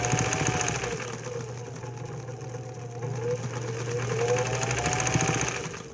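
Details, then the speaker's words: Singer 206/306 sewing machine running 15x1 needles with a modified, honed-out bobbin case: steady even motor hum, and the needle ticking heard with the stock bobbin case is gone now there is enough clearance at the arch; normal running. "no more ticking so what's happening now is I have enough clearance between that Arch"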